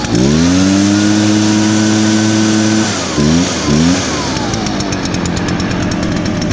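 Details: Echo blower, started on choke after priming bulb under the carburetor, started easier than expected: revs up crisply, holds a steady high buzz, blips cleanly and settles to a smooth, even idle; normal idle and throttle response.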